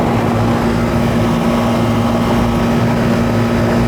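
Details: Second-floor AC condenser (piston metering) at final charge, with subcooling lowered, superheat raised, 80°F outdoors and 72°F indoor wet bulb: steady compressor hum with a low buzz and smooth fan rush, no cycling or rattles. Running normally.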